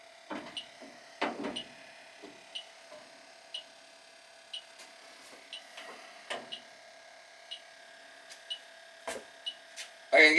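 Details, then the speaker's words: Old Carrier AC unit whose outdoor fan cycles on and off, nearly empty of refrigerant: leak detector chirps in quick, steady ticks about two a second at the evaporator coil, detecting a refrigerant leak in the coil. "major league evaporator coils leaking not much freon in it now but it's it's pretty much empty but definitely got a leak here i can hear it can hear a beeping"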